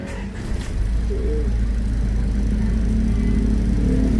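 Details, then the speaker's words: Isuzu Trooper diesel after fixing hard starting; cranks briefly and starts in one click, settling into a steady, even idle, healthy. "ulit yung makina St ko ulit dapat one click yan oh ' ba"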